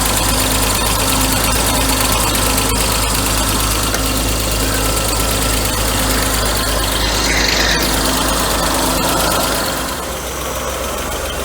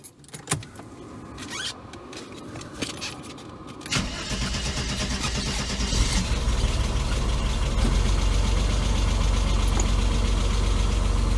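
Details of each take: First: 1992 Mercedes W124 300E M103, first start after head gasket install: fast, even ticking over a rough idle; new hydraulic lifters drained of oil, expected to pump up; air pump has noisy bad bearings. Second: 1992 Mercedes 300E W124 M103 first start after head gasket install and camshaft timing-mark realignment: brief cranking, then a smooth, steady idle with no ticking or misfire; AC compressor, possibly original, sounds slightly wobbly.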